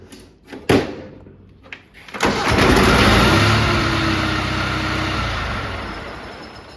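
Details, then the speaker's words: Snapper riding mower after cleanup: a couple of short cranks, then it catches and settles into an even putter with no exhaust blow. Sounds about the same as before, running fine. "personally, I think it sounds about the same, but I don't know, maybe it doesn't. Um, anyway, yeah, I think it's pretty good."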